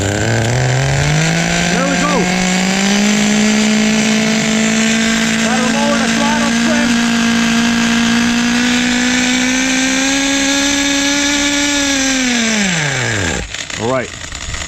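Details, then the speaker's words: Vintage 2000 HPI Nitro Rush stadium truck, old 15FE nitro engine, first attempt to run: high buzzy revving with uneven rising pitch then dropping off; very low compression, pull starter pulls easily. "I just want to show you guys yeah this engine really doesn't have that good compression I could easily easily pull the pull starter on this"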